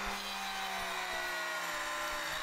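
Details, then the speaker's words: Router on a sled flattening slabs, running a large bit at lower speed: the motor whine sags lower in pitch as it strains through the cut; the router is bogging under heavy load and lacks power. "thing I did find out if you listen to the router you can hear it's really bogging down and it's really working hard to these cuts"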